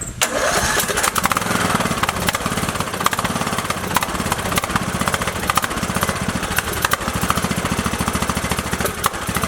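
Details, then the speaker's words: Craftsman LT2000 with Briggs & Stratton 19.5 OHV engine, after new pushrods, guide plate and rocker cover gasket following sudden death while mowing: cranks briefly, catches at once, settles into steady even single-cylinder idle; normal start and idle. "Beautiful. There we are, 2 days later, about $30 in parts, and we're back up and running."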